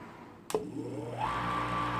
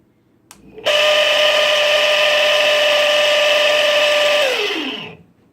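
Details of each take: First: Eight-year-old Chugger brew pump, after a 3/4-inch Teflon tape fix on the shaft for chattering/cavitation with boiling water, switches on, spins up and runs with a smooth, steady hum without chatter. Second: Chugger brew pump whines at steady high pitch with harsh buzzy rattle, then winds down: not cavitation but the impeller loose and chattering on its shaft; fix is wrapping 3/4-inch Teflon tape.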